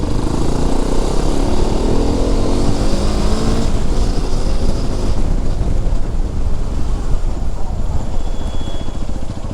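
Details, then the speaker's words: Hero Xpulse 210 being ridden after a service to cure tappet noise: steady engine note under heavy wind and road noise, with no ticking coming through; top end sounds normal. "ವಾಯ್ಸ್ದು ಏನ ಅಷ್ಟು ಗಾಡಿ full ಒದರಾತಿಲ್ಲ normal ಆಗಿಐತಿ first ಹೆಂಗ್ ಬಂದಿತ್ತಲ್ಲ ಹಂಗ sound >> ಇದು actually ಚೆನ್ನಾಗಿರೋದು"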